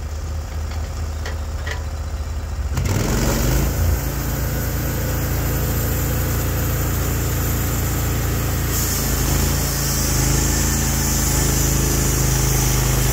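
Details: Norwood HD36v2 bandsaw mill, day two testing new roller guides that replaced the ceramic guides, slabbing big black oak through bark at about 24 in wide: the engine picks up and holds a steady, even drone as the blade takes the cut, pulling smoothly without bogging.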